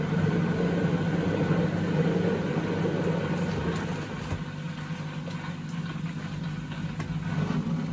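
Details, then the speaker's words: 2012 Beko WMD261 washing machine on spin and drain, pump draining fine: loud continuous droning rumble from the drum easing slightly midway; previous owners said it became unbearably loud to use, pointing to worn drum bearings. "I expect everything works, it's just the noise faults and what the previous owners were telling me when I fitted the new one in. It became unbearably loud to use."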